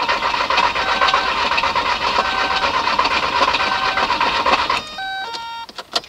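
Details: 1998 VW Jetta TDI AHU turbo diesel, 378,000 miles, rebuilt injection pump, no scan codes, glow plug light normal: steady churning about two beats a second, never catches. Crank no start.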